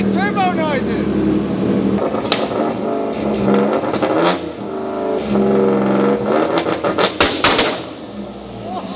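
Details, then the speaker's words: EG33-swapped Subaru WRX STI on dyno under load: revs hard then repeatedly drops out and stutters like a cut, launch-control-like limiter; AFRs good, no knock; suspected map limiter, TDC offsets or mechanical timing off; engine cutting out under load. "Like every time you guys would hear it on the dyno and it would start breaking up, that was the issue that we were running into. Could be TDC offsets a little off. Could be mechanical timing is a little bit off."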